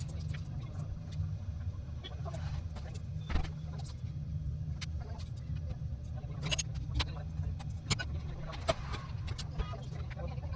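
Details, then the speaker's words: Window AC fan motor after bearing replacement: steady low hum with no grinding, rumble or whine, only light clicks; previously very noisy from failed bearings, now quiet; normal running. "यह बिलकुल वैसी ही आवाज है जैसी किसी motor की होनी चाहिए। इसमें बेयरिंग की कोई आवाज नहीं है। पहले यह बहुत शोर करता था, और अब यह बिल्कुल शांत है।"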